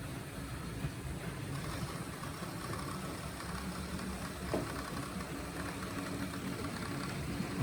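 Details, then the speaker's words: Old Gutzold model locomotive from eBay, run on an H&M Duet controller: small motor buzzing with a rough, gritty gear whine at steady speed; gears noisy, suspected to need oil. "It's also got a bit of a, obviously you could hear it had a bit of a noise, but the gears, possibly I can take these off."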